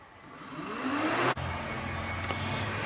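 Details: Nissan Maxima radiator cooling fan, removed from the car during radiator replacement, bench-powered from the battery in low-speed mode: whir climbs in pitch over about a second, then holds a steady even hum; normal low-speed cooling fan operation.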